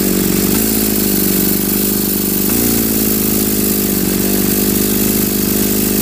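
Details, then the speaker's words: Homemade twin-cylinder two-stroke brushcutter engine on one ignition coil, carburetors joined: buzzy, uneven, lumpy running; cylinders only fire alternately, never both together; builder suspects ignition (one coil), cause unconfirmed. "Запалення, все получилося, все гарно. тільки чомусь працює по черзі двигуни. Разом вони чомусь не працюють."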